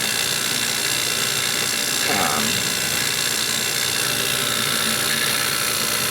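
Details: JB vacuum pump evacuating a refrigeration system that had water in the lines. Smooth, constant high-pitched whirr with no knocking; the pump oil came out milky, probably from water vapour, and was changed.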